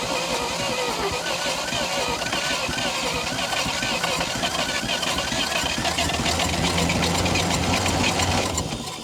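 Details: 1952 Dodge Power Wagon, unrun 16 years, briefly cranked on 12 volts with choke: brisk, uneven cranking about four beats a second with near-catches, not firing; owner suspects low compression; unconfirmed.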